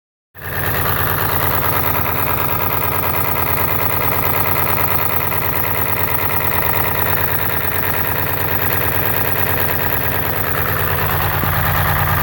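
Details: 7.3 diesel with twin pyrometers idling with heavy, uneven low thrum and loping pulses about three a second; rough idle, blow-by suspected, not confirmed.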